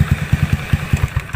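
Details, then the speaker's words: Honda Beat carburetted scooter fitted with a PE24 CPO carburetor, setting found; quick, even putter about ten beats a second with steady low note and no misses, idling cleanly. "Karbut CPO ini cukup mudah nyetingnya ya Ini udah ketemu settingannya"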